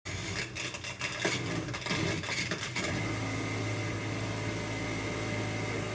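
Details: Older Maytag Performa dishwasher running: rough grinding and rattling for a few seconds, then a steady motor hum. Grinding noise, described as an easy fix.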